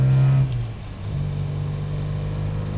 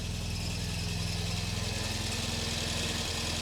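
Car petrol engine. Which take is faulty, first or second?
second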